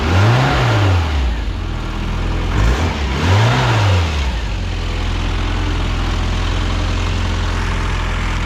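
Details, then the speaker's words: Classic Mini SPI (single-point injection, electric fuel pump) started after sitting for months on a weak battery, catching after a couple of turns: revs up twice, then holds a steady, even idle with no misfire or knocking. Normal running. "as you can probably hear guys she's running and even though the battery wasn't the best stuff or something she turned over with him a couple of turns couple clicks and yep five straight up"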